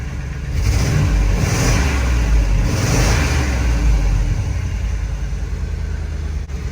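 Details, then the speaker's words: Auction bucket van engine, first start after running-problem fixes (doghouse reinstalled): picks up cleanly through a couple of smooth revs, then settles to an even, steady idle with no misses; running far better than before. "That's substantially better. It's been running so bad for so long, I bet you the computer's going to need to a second to figure itself out."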